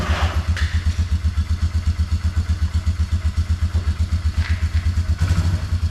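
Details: 2004 Polaris Trail Boss 330 single-cylinder ATV, auction buy with water in fuel, after transmission repair for no reverse, temporary air filter: steady thump about four beats a second, no knock or misfire; engine running normally.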